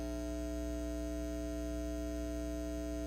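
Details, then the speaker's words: Carver TFM 4.0 Magnetic Field power amplifier: loud steady mains-pitched buzz with strong overtones continues even with the power switched off; different speakers, cables and a power line filter didn't help, cause unknown, owner thinks it needs a recap. "so there it is that's the buzz [Music] so it's still going on even though i had the power switched off"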